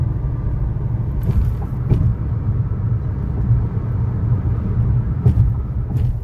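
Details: 2013 Chevrolet Sonic, 75,000 miles, road test after replacing the front wheel bearings and lower ball joints: steady low road rumble, no growl, hum or speed-linked drone, just a few light clicks; front wheel bearing runs quiet.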